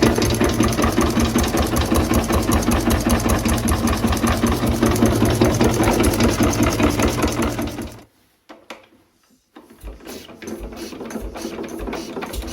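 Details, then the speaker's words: 1920s Renée stationary single-cylinder engine restarted after years unused, low compression with suspected stuck piston rings: slow, even chuff about two and a half beats a second firing cleanly until it stops; engine runs properly. "Il est parti. Bon, eh bien écoutez, j'espère que cette vidéo vous a plu. Donc comme vous avez pu le voir, on a réussi à démarrer le moteur."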